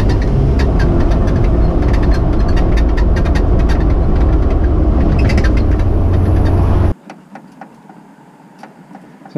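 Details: Off-road 4x4 while driving after a wheeling weekend: heavy road rumble with quick sharp clacks about four a second; the passenger-side front inner fender is clapping and squeaking because its broken mount needs welding.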